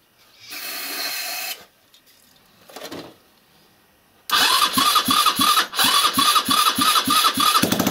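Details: 161QMK scooter engine after reassembly, timing marks set, first start after long storage: after a couple short starter tries it fires and runs with quick fairly even popping beat; healthy.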